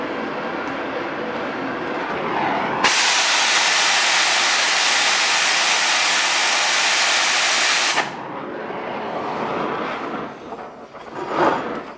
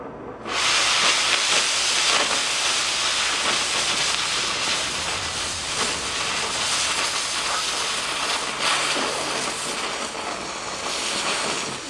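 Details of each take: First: Oxy-fuel torch cutting thick plate with a quarter-range rated tip: strong, steady hiss for about five seconds with a sharp start and stop; clean sound coming off the bottom of the cut. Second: Oxy-fuel torch with a small tip cutting one-inch plate: steady, harsh hiss for about thirteen seconds, then cutoff; oxygen pressure too low for the plate, so the cut lacks full penetration.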